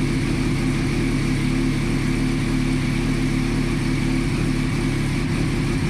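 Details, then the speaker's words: Reassembled motorcycle after fuel pump rebuild and battery charge, airbox not yet fitted: steady engine note with smooth low throb, no knocks or misses; running normally. "Okay, bike is all running, just gotta get the air box on there, bleed the brakes, and obviously paint and bodywork repair, number plates, and then I think it's all good to go."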